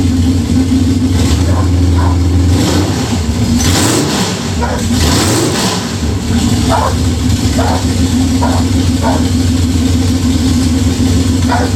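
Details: Budget Beater Chevelle, just revived, distributor re-timed. It races at a raised idle, surging between revs, and won't settle to a slow idle. High idle; the owner suspects the old stuff being used, unconfirmed.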